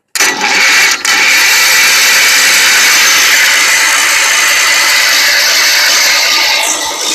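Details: Wheel Horse tractor, believed 1973, 10 hp Kohler, sat three years, cranked via jumper cables: steady high-pitched starter whir about seven seconds with no firing; zero spark.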